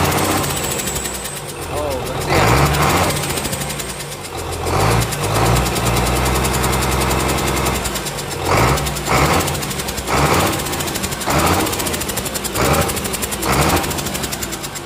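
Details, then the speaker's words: Komatsu S6D125 diesel at idle on test run after general overhaul (broken No.5 piston, spun No.4 conrod bearing; crankshaft, liners, bearings replaced), clean smoke; short hissing bursts about once a second from the air compressor; normal compressor hiss, engine healthy. "Ini suara desisan, ini suara ini ya friend, suara air kompresornya ini."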